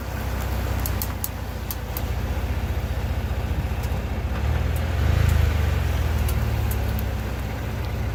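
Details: 2017 Ford Fusion at slow speed, mostly turning right: light irregular clicking from front wheel well; dealer found the front driver's wheel hub at fault, replaced it, clicking gone.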